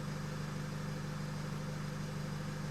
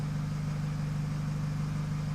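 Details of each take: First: 2008 Nissan X-Trail 2.0 diesel, remapped with EGR and DPF deleted, that misfired at 3000 rpm after a clutch job and had a non-working turbo. After the engine was stopped and rested, vacuum is full again: even, steady idle with a low thrum, no stumbles. Normal idle. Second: 2008 Nissan X-Trail 2.0 diesel, remapped with EGR and DPF delete, idling: strong steady low drone after engine tone change; car misfires at 3000 rpm and turbo not working properly.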